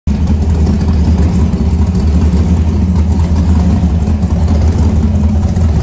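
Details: 1970 Ford F100 warming up at idle after a newly completed exhaust: a deep, steady rumble with an even low throb and no knocks or rattles, a healthy engine through a loud free-flowing exhaust; the alternator is separately not charging.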